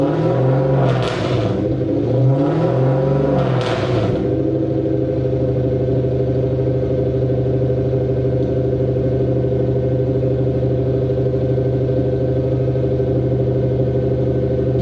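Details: Mercedes W203 C230 Kompressor sport coupe with swapped Lexus 3UZ-FE V8, old exhaust before replacement: a few sharp throttle blips, then a long heavy boom holding steady at revs; exhaust drone.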